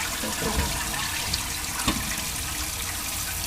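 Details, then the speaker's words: Toilet converted to dual flush, solid flush with the lever held down at least 5 seconds: steady rushing water, then brief gurgling bursts as the siphon breaks, a normal full flush. "For a solid flush, keep pushing the lever down at least 5 seconds until you hear the gurgling sound."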